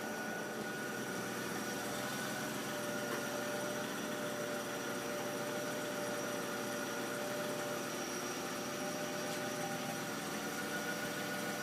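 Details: Mercedes ML idles slightly rough with a faint whirring tone and an uneven, loping beat underneath. Owner suspects the belt; cause not confirmed.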